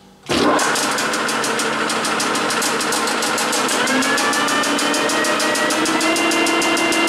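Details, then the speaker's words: Very old Herbert capstan lathe with Coventry die head, started at about 260 rpm: spins up to a steady whirring run with even fast ticking; clutch slips very badly. "this is very old machine and the clutch slips very badly so we'll have to see what happens with this"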